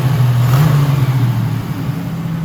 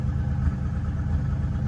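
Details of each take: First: 1987 Buick Turbo T (Grand National) on first drive in 12 years after fuel line and electrical repairs: deep exhaust note jumps quickly on throttle and settles smoothly, revving freely with great response; one exhaust backfire noted; about 185°F coolant, 13 volts, 800 rpm idle. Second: 1987 Buick Turbo T (Grand National) after 12 years off, near operating temperature ~180–185°F, 800 rpm idle: lumpy idle with loud exhaust backfire pops about every two-thirds second; owner suspects fuel pressure regulator set too high, plans ~35 psi.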